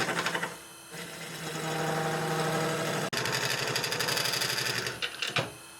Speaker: Now you can hear the vibrations of the piece sitting just in a small truck.